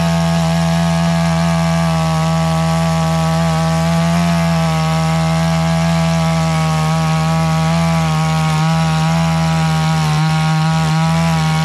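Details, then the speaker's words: One saw from a Husqvarna 460 Rancher vs Garwinner 62cc chainsaw comparison, held near full throttle. A steady buzzing tone that never climbs to a clean top note; it isn't opening all the way up, and the owner plans to tweak it after more run time. "As you can hear, the saw isn't quite opening all the way up. So when I go back to sharpen the chain, I just want to get a little time on it."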